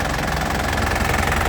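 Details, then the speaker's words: 2012 Isuzu Panther Grand Touring diesel, oil and filter due for a change so it cranked a little long: idle gives an even, crisp, smooth clatter that is not rough, with no knocks or misses and a stable idle. Normal diesel idle. "Suaranya masih renyah dan halus ya. Renyahnya itu renyah halus gitu, tidak kasar, tidak bunyi plek ya, tidak ngeplek ya bahasa Jawanya. Ini tandanya mesin sehat seperti ini lur ya."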